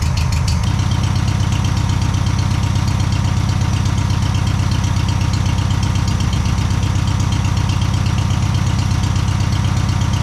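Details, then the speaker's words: VW Super Beetle with a rebuilt air-cooled engine, first start after installation: catches quickly, then a steady, even low burble at about 160 pulses a minute with no knocks or misses; healthy idle though it may need tuning. "It might need a little bit of tuning and all that stuff, but it does fire right up, starts, drives."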